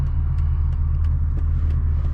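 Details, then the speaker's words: 1999 Mercedes E55 AMG V8 at 257,000 miles, after replacing a coil pack with a junkyard one: deep, even rumble pulling steadily under acceleration with no stumbles; normal acceleration, no misfire. "Hey, no misfire, man. No misfire. No misfire."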